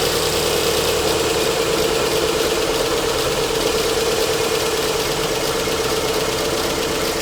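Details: BMW 1 Series E87 120i, 2008, 2.0 L N43 petrol engine, 125 kW, just started: idles with irregular shake and stumbling beat about twice a second; constant misfiring, component cause being diagnosed.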